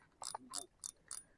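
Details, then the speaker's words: Daido Ocea SW spinning reel after about 6 months of casting use with PE line and 5.5 g lure, never opened: dry, gritty ratcheting on each handle turn, rough retrieve; owner suspects a dry line roller or old internal grease. "buat casting cuma Kenapa nggak tahu ini suaranya ada kasar Nanti sampai rumah mau saya bongkar Apakah hanya Land rollernya aja kering atau di dalam harus diganti gresnya"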